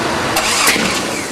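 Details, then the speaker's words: Jeep cranking with the distributor just turned 180 degrees from its original position (rotor moved from 5 to 2), tried from number 1: sharp, gunshot-loud backfire pops as it tries to catch, apparently no spark; backfire from ignition timing 180 degrees out. "Whoa! The hell was that? Oh my god. Dude, that was the most ridiculous backfire. It sounded like a goddamn Gunshot."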